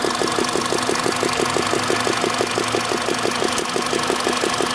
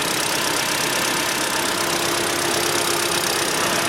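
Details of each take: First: Petrol engine, 58,559+ km, warm (74–90°C) idle: sharp steady ticking knock about three a second, quiet when cold; owner suspected hydraulic lifters and planned to try an oil additive. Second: Cold engine at only 10°C, 58,559 km, idling evenly with a light steady valvetrain hiss and no tapping; owner reports hydraulic lifter knock appears only when hot, runs on ZIC 5W-30 oil. Normal cold idle.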